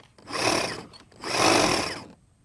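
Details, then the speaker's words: Husqvarna 536LiHD60X battery hedge trimmer after fixing a no-run fault in the safety handle design: two short bursts of high buzzing whirr, spinning up and stopping cleanly, no red light, working held upright and to either side; normal running. "so let's turn it on over here we do not want to see a red light which is normal operation so you should be able to go like this straight up and it works off to the side and it works over here on the other side"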